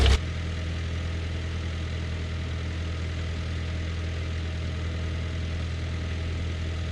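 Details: John Deere No. 5 sickle mower on a tractor PTO, cutting grass: steady low tractor drone with even drive underneath, no knocks, rattles or grinding; it cut perfectly fine, running normally.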